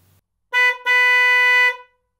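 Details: Single-tone trumpet horn, diaphragm inside a trumpet-shaped piece that makes it less harsh than a disc horn: two clean steady toots, short then longer, mellow; normal horn.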